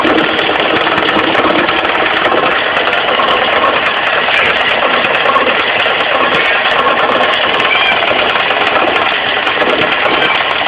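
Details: Mitsubishi 4G15 carbureted engine at idle, busy and rattly, with a dull clatter from low at the crankshaft pulley that keeps pace with engine speed; loose crankshaft pulley knock, fixed by tightening it.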